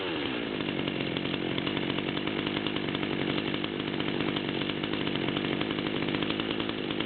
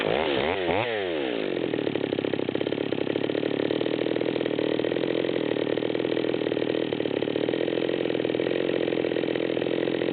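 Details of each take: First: Stihl MS200-series chainsaw with 25-inch bar, two-stroke, idling around 3100 rpm per tachometer: steady, even idle with no misses or hunting; healthy. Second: Nearly new Stihl MS200T chainsaw with 25-inch bar, high-speed screw backed out to the stop: blips then holds high no-load revs with an uneven blubbering burble, four-stroking at high idle from a rich mixture.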